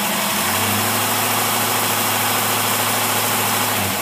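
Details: Refurbished Holley marine carburetor with vacuum secondaries and salt-water pitting, tested on a running engine: steady, even idle with smooth low hum and constant rush, no misses or surging; carburetor running properly.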